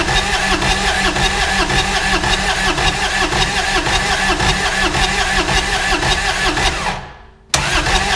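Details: 2011 Kawasaki Mule 4010 diesel UTV, idle about two years, after rocker arm and push rod replacement, glow plugs used: starter spins the engine evenly, pause, more cranking, never fires; suspected tight piston rings giving poor compression. Cranks but won't start.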